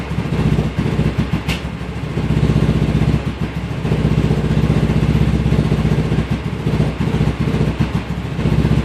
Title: Rough idle